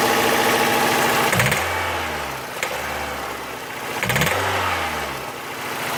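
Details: Toyota 4A-FE engine blipped twice from idle: sharp tapping rising with revs then settling; owner cannot identify the knock's source.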